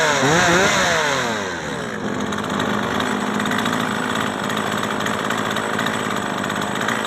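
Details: Old Japanese chainsaw that stalled when hot, after carburetor cleaning and main nut replacement, reassembled with air filter and cover; revs climb and fall cleanly, then settles into a steady high buzz with no stumble; runs properly.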